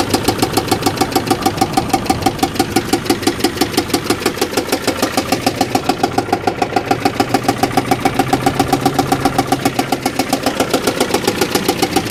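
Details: Engine restarted several days after parts were disconnected and removed: a fast, steady ticking at about three to four per second over a rough idle, not quite a knock. Cause unconfirmed; the owner first guessed an O2 issue, then suspected a blown head gasket from a coolant smell.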